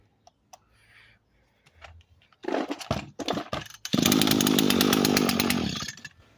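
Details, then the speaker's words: Echo SRM 225 string trimmer with a broken choke that would not start: pull-start tugs, a brief rough burst, then a buzzy run of about two seconds that sags and dies; engine bogs down. Cause suspected, not confirmed. "So yeah, guys, as you can see, it bogs down."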